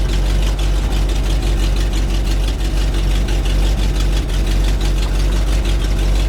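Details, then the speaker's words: 1975 GMC C6000, 350 V8, five-speed, first start in about 10 years: idles with an uneven, lumpy stumbling beat; owner suspects it may need an accelerator pump, not pulling fuel well, slight exhaust leak; rough running. "but it's running might need an accelerator pump just let it run for a minute well that's pretty easy I think it helps having good gas in it"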